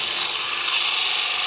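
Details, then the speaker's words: Stone polished on a Velcro pad at 50 grit to remove cut marks: harsh high hiss with a thin steady whine instead of a smooth grind; a high point on the rock is hitting the pad before the rest. "I mean, unless you're trying to work down it, it just means there's a point in the rock somewhere that's hitting before the rest of the rock does."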